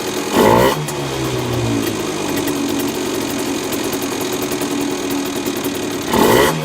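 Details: Honda NSR50 two-stroke at idle with two quick throttle blips, and a steady rapid knock under the buzz that follows engine speed. Owner suspects crank big end or balancer bearing. Rechecking and reassembling parts other than the crank did not remove it.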